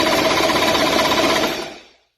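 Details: 2003 Polaris Genesis I PWC after sitting an hour, lanyard connected, start button pressed: fast steady starter cranking about two seconds with no firing; turns over but won't start, fuel pump wire stays at 12 V.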